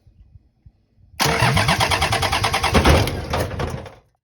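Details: Toyota 1HZ diesel in a 75 series LandCruiser, engine fitted but never run and parked 12 years; about three seconds of rapid, even starter churning with no catch or fire after wiring the injector pump solenoid open; cranks but won't start.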